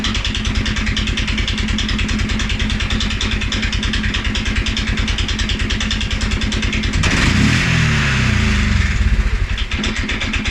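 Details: 2011 Polaris Sportsman 550 XP, EFI: single thumps at idle, brief rev, then stumbles back to low uneven idle; also stumbles cold on startup and after riding. Dealer found TPS, IAC, TMAP in spec; valves, timing, new plug, 43 psi fuel pressure good; cause not found.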